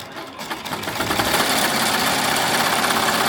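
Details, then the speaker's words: Melco embroidery machine stitching with its original, owner-modified hoop arms: a steady, even, rapid needle clatter with no knocking or bumping, side-to-side movement only and much quieter. Normal stitching. "It's doing the regular side by side doing, but it's not bumping up and down like this. And it's much much quieter."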